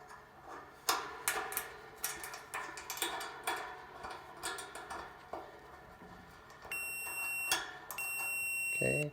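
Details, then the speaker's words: Samsung dryer not drying clothes, continuity test on new components including heating element: probe clicks then clear high steady beep held about a second, twice; continuity present, parts test good. "all right so we're getting continuity all the way all the bases everything should be good"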